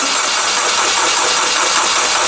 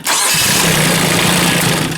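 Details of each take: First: Kubota K008 mini excavator at 166.6 hours, ran days earlier: labored, slow, uneven starter turnover that never catches then winds down; cranking too slow, owner suspects weak battery or parasitic drain. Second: Kubota K008 mini excavator diesel, 166.6 hours, warm restart after half an hour running on a nearly dead battery: fires almost at once and settles into a steady, even run with no slow dragging crank. Normal start.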